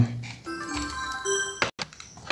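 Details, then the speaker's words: Asus X58L laptop after finding a burnt short diode and replacing the ISL6227 chipset/RAM power supply chip from a donor board: a short, bright startup jingle plays on switch-on; laptop boots normally after previously flashing on and off with no display. "you hear the sound the laptop is on"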